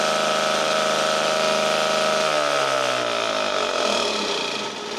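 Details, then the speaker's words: 1952 military DC generator engine, after fuel tank cleaned and refueled, running on choke: steady buzz with pitch easing slightly partway through, no misfire or knock; normal running. "once I cleaned the fuel tank and put fuel in it and got spark out of it I was able to start it"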